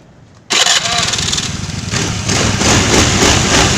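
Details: Scooter after replacing a CVT/pulley bearing to cure a snoring growl, new bearing fitted: engine catches and revs into an even running note with no growl or rumble from the belt drive; CVT now sounds normal.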